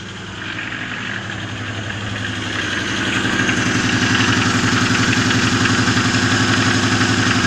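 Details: Lada Oka engine idling at low rpm: steady rhythmic knock about four per second, worsening over a long time, which disappears as revs rise; valve clearances are within spec, cause unknown.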